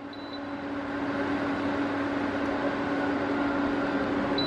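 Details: Sevilla SV-212II induction cooktop after repair: a short beep, then a steady mid-pitched hum with the fan rushing evenly. It heats normally, drawing about 7.4 A at level 8, up to 2000 W per zone.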